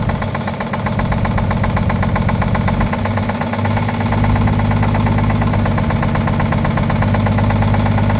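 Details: 1950 Chevrolet 3800 one-ton with Chevy 235 six, abandoned since 1977, idling with loud rapid steady knock about four per second; full 60% oil additive did not remove it: worn rod bearing knock.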